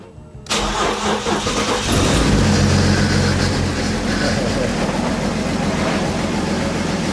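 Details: Swapped BMW diesel engine, first start on jumper cables from an extra battery after low battery and weak ground: cranks briefly, catches into loud slightly uneven clatter settling toward idle; owner suspects vacuum leaks.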